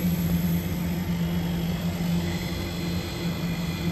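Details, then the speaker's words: Daikin VRV III outdoor unit after inverter compressor and PCB replacement, running in test mode: steady low hum with a clear tone near 180 Hz holding even under fan rush as the inverter compressor ramps up smoothly. Normal run-up. "near the inverter ramping up now it's always a good sign so these things are still running through their test mode"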